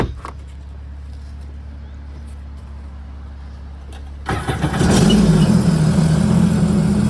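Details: Sea-Doo GTR 230 jet ski after renter damage (overheated, flooded engine, melted water resonator), repaired with the resonator bypassed: quiet hum, then the engine catches and settles into a loud, deep, even run with clean revs; starts and runs healthy.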